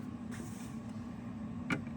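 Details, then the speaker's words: Royal Prestige HU-200KC juicer after repeatedly engaging the magnetic lid-lock switch until it freed up: steady low motor hum runs evenly, one brief sharp click near the end; motor now works normally. "You can tell now it works. So, obviously, that's a magnet switch."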